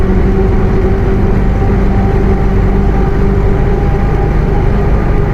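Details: Bus with Mercedes-Benz OF 1721 BlueTec 5 chassis, Caio Apache Vip IV body, driving: steady low hum at one pitch over the diesel drone; rear differential howling.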